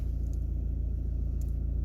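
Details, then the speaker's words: Volvo V40 driving in third gear, worse when cold: deep droning rumble with fast fluttering throb under load, from a dual-mass flywheel with excessive play. "e é o defeito aqui do volante e massa que está com muita falta"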